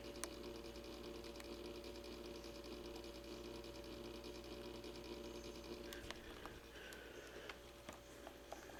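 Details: Simplex Time Recorder synchronized clock, repaired (school clock) and run dirty, still working: quiet steady motor hum with light even ticking, no scraping or stalling; mechanism running normally.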